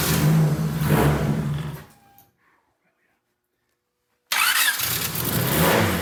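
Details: Turbo D16 EK Honda Civic enduro race car, static test before wheels down, fires on first try after engine noise and a couple of seconds of silence and runs up cleanly; normal engine start.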